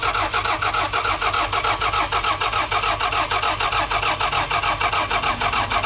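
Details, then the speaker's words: Cheap $500 car that cranks but won't start despite having fuel. The starter spins at about five even compressions a second and it never fires; the owner suspects no fuel or no spark, and the seller implied a dead battery. "I will find out that it doesn't start. Bro, it will go so many more places now that it doesn't start. So that's a bit of a shame. I'm not actually sure what's going on here. It does have fuel in it."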